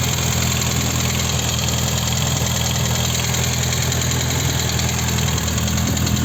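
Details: VAZ 21083 at warm idle: light metallic tapping about three a second, high-pitched ringing, same warm or cold; owner suspects piston pin in cylinder 1, not confirmed.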